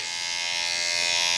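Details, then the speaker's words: Andis SMC 5-Speed clipper after fitting a new front motor mount (was making noise): steady, even high-pitched buzz with no rattle or chatter; cam running nicely, all speeds work, healthy. "all right back with these clippers that needed the new front motor mount and just wanted to show you that they uh sound much better now well if you can hear it it's all good cam's running nicely all the speeds work"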